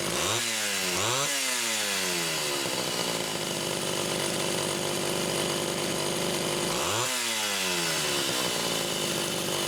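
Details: Homelite Super XL chainsaw test-running carburetor number 2 after its Welch plug was replaced; both mixture screws had been over 3.5 turns open. Crisp blips climb and drop cleanly, then a steady high-revving buzz with no bogging or stumbling. Judged good.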